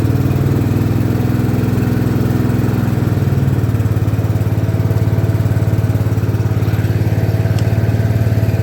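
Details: 1972 John Deere 110 tractor that sat in a barn for years, running after a service with a new fuel filter and fresh oil: a steady single-cylinder thump at constant speed with no misses or knocks; running clean and even.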